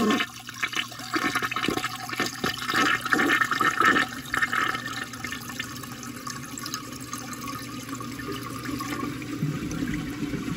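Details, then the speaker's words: 1986 American Standard Cadet toilet, recorded close-up inside the bowl: strong rushing gurgle as bowl empties, then calm, steady refill hiss with no hammering or whistling; healthy, normal flush. "so last but not least we're gonna do a close-up of the bowl weld pretty much inside the bowl so you can hear the flush because cadets from this era sound really nice"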